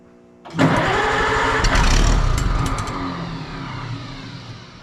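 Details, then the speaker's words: Oliver 77 tractor in freezing weather after refiling points, no choke as it looked flooded: catches with a burst, then chugs unevenly and fades as if starving; owner suspects not enough fuel, possibly cold-affected fuel. Engine runs poorly after starting. "Enough fuel now. Thinking that's a fuel thing. I might have to give this up for today, I don't know."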